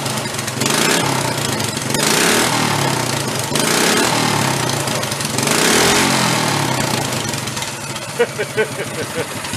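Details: Bigger engine fitted in a 1965 Chevy Monza go-kart, just after first start: rises and falls cleanly through several throttle blips, crisp even exhaust note with no knocks or rattles; running healthy.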